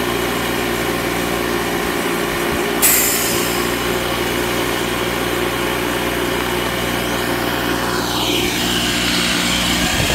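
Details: Secondhand air compressor found to work: steady, fast hammering pump buzz at an even pace with a hiss of air building, running and compressing air. Owner suspects a possible issue with the shut-off mechanism.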